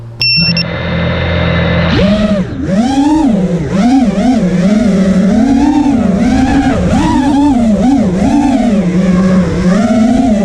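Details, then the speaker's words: Quad with T-Motor F80 2500kv motors, owner says one has a bad bearing (motors kept destroying ESCs), motor timing changed from medium-high to medium, stock Betaflight PIDs: motor whine surges up and down in quick wobbles in flight. Motor oscillation. "try this again I heard a little bit of oscillation and now I turn my motor timing down to medium is on medium high I also am using stock betaflight pits"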